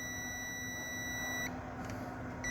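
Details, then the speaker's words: 2013 Subaru Forester, multimeter continuity test on negative battery ground cable: steady high beep with one dropout from shaky probe; reads zero, cable intact with no break. "I don't have the best connection back there cuz I'm not holding it personally but you get the idea that tells me that that cable right there has no brakes inside of it"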